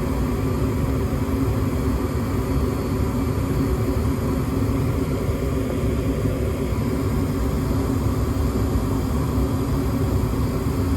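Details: Gas furnace on a 16°F no-heat call, W jumped back with a limit switch fault found, limit temporarily bypassed for testing: steady even low roar, no rattles, surges or clicks; furnace firing and running normally.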